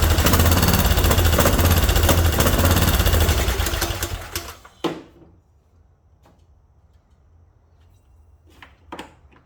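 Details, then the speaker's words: Kohler Courage single-cylinder engine on a Craftsman mower, found partly disassembled, cranked then given a squirt of starting fluid: loud, fast, even chatter for about four seconds then dies; fires briefly on starting fluid but won't keep running. "Why is it taken apart? That fired right up. I don't understand."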